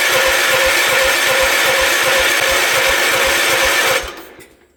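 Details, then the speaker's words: Gravely 816 tractor with swapped Kohler KT19 engine: loud starter whir with steady chug, never fires; fuel pump delivers no fuel while cranking (pump later found leaking, carburettor bowl nut loose). Crank no start, no fuel delivery. "Did we have fuel? No. Why would we? That would be silly. I'm going to keep cranking. See if she'll start."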